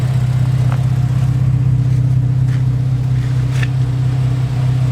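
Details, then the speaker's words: Car just fitted with a Kraftwerks supercharger and intercooler, running a base map and not fully tuned yet: steady, even idle with a firm low drone and no knocks or misses. Running good, smoking a little. "running good we have a base map on there it needs to get to so it's not fully done but you're nuts"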